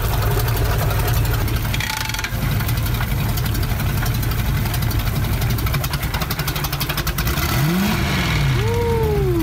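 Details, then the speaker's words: Rebuilt wrecked boat engine running with water flowing properly before lake launch: deep, even rumble with a steady beat, no knocks or misfires; healthy engine running. "alright guys so everything checks out properly the water is flowing great so let's go ahead take this thing to the lake and get this thing in the water"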